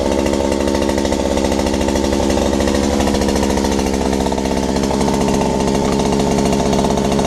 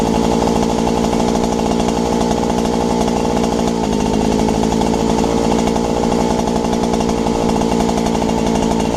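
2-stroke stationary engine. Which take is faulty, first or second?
first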